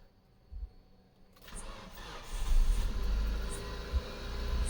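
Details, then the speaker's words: Mitsubishi Lancer after fixing rusted coils and spark plugs that caused misfire and rough idle following an engine-bay wash: brief click, then engine starts and settles to an even, smooth deep idle, engine light gone. "Perfect हो गया बिल्कुल perfect हो गया engine light जा चुकी है गाड़ी smooth हो गई है कोई मिसिंग कुछ नहीं"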